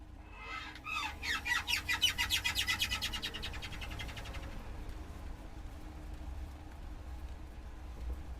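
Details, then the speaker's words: 2014 Chevrolet Silverado accelerating: a rubbery, bird-like chirp repeats faster and faster with speed until it can't be heard, caused by a worn driveshaft U-joint squeaking. "if that's what your truck sounds like you have one of these a bad u-joint but not to worry these can be fixed at home with basic tools and you don't need to go to a dealer"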